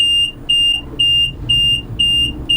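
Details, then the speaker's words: Combine harvester in operation: sharp high warning beep twice a second over low hum as the straw walker slip clutch slips; walkers on wooden blocks swollen by damp wet year, need polishing up. "g that's the slip clutch going down on the straw Walkers because the straw Walkers are on wooden blocks anyone knows anything about wooden blocks they swell in the winter when it gets damp"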